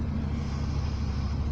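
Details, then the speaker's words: Power steering with engine running while the wheel turns: low steady droning hum; caused by seized kingpins and ball joints, not the steering box or pump, cured by penetrating oil, greasing and working them free plus bleeding the system. "давайте послушаем звук гудения гидроусилителя типичный этот я поворачиваю руль и"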